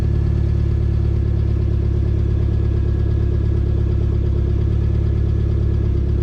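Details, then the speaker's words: 2.2 non-Ecotec engine (Sunfire/Cavalier/S-10) after timing chain and crank sensor replacement: steady idle with an uneven flutter of about three pulses a second, suggesting a misfire. The owner suspects a bent valve; a compression check is planned. "We might have a bent valve. It don't sound gooder. Sounds like it's still got a little bit of a flutter."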